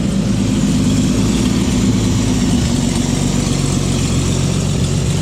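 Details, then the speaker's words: 1954 Chevrolet 4100 grain truck, 235 inline six, 4-speed manual, first start in 18 years on 18-year-old fuel after new battery and cleaned points: loud, fairly even low idle with rough chuffing from an exhaust manifold leak, no knocking; normal idle. "way too easy i can't believe it's running off that 18 year old fuel"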